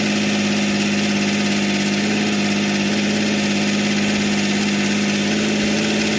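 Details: Philtech V12 model aircraft engine, 108 cc liquid-cooled two-stroke glow engine with miniature radiator, idling after start: steady, even buzzing idle with a constant high tone and no misses or knocks; normal healthy idle.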